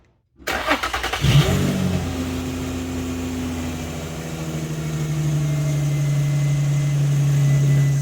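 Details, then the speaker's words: 2008 Infiniti FX35 idling right after Y-pipe exhaust replacement and new catalytic converters: the engine settles into a fast idle with a steady low drone from the accessory belt drive. Belt noise caused by a bent belt tensioner. "And that noise you're hearing is just my belt. The belt tensioner is bent, and I need to work on that, so I will link that once I get that done."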